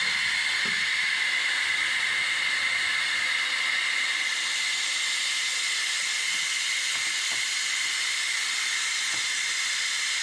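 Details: 2016 Ram 3500 dually, 6.7 high-output diesel, during a Water Wetter coolant exchange: the air-driven vacuum filler gives a steady high airy hiss as it evacuates air from the cooling system, collapsing the radiator hoses; working normally.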